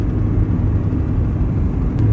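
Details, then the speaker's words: Honda Civic engine held at 3,000 rpm, warmed up after gasket job: knock buried in heavy low rumble; mechanical gauge shows 60 psi oil pressure (spec 50) without fluctuation, so judged not rotating assembly. "and you can still hear the noise on the spec is 50 psi at 3,000 RPM so oil pressure is fine while it's happening and it doesn't fluctuate with RPM"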